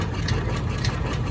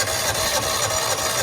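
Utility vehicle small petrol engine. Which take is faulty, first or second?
second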